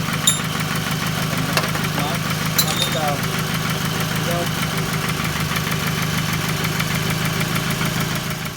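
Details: Toyota Camry 2.4L, engine idling: light, quick ticking about three per second, sharp and puffing like escaping gas; exhaust manifold leak, which a lifter replacement did not cure, so the manifold is being replaced.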